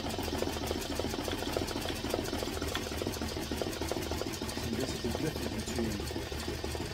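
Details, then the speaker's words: BAI embroidery machine stitching a hat at 450 speed with standard 80/12 needles; fast, even stitching rattle with no popping sound like a Snapple cap. Normal stitching. "right now I'm running it at 450 and it sounds good sounds really good right now you don't hear a popping sound"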